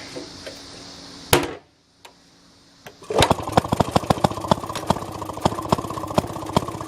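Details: A 1948 Maytag washing machine's small single-cylinder engine starts briefly, then settles into a steady, even popping beat of about four per second and runs cleanly. The tub is filled with water and dirty rags, with a replaced drain hose and a rigged wringer.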